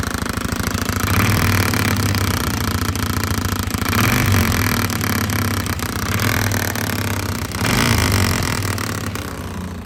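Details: 2005 Polaris Sportsman 500 H.O. quad that won't drive forward or reverse: a rough engine run with a heavy, uneven rattle and vibration about four times a second.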